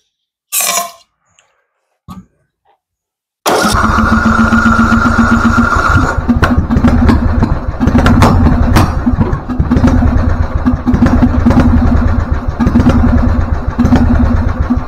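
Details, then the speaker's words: Husqvarna LTH 1438 riding mower, 13.5 single-cylinder, backfiring through carb and exhaust: catches after hard start, choke open, then runs unevenly, stumbling and surging; shop suspected a loose cam gear. "okay so it is running it doesn't like the idea but it's running"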